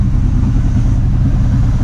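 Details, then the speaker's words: 1979 Camaro Z28 carbureted V8 just after carburetor rebuild and tune-up (new plugs, wires, cap, rotor): deep, steady burble at low idle, even pulses, no misses or knocks. Normal idle. "Fires right up. Probably gonna sit here and idle."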